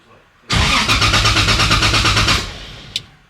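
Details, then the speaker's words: 2JZ-swapped Nissan 370Z Nismo, first start attempt: starter spins briskly for about two seconds with even pulses but never fires; fuel pump relay heard clicking on and off. "Oh, it is making a weird sound. Well, you know what I mean? Like, I don't know if it's like turning off or something."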